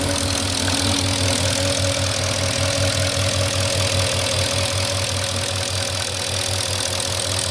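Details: 2004 Porsche Cayenne S 4.5 V8, about 50k miles, well maintained, about 3 minutes after cold start: steady light tick, about 2.5 per second, over even idle; owner thinks it is normal, not scored cylinders or piston slap; cause unconfirmed.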